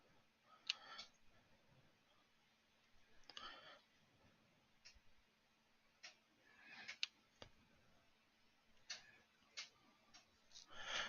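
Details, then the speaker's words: 3D printer printing walnut wood filament: irregular dry clicks, roughly one a second, over a faint steady hum; suspected gritty filament snagging as it comes off the spool, not confirmed. "Oh, I hear it clicking, and that clicking sound is, yep, uh, that's the sound of the walnut wood filament on the spool. Because it's kind of grainy and gritty. It doesn't come off the spool super smoothly."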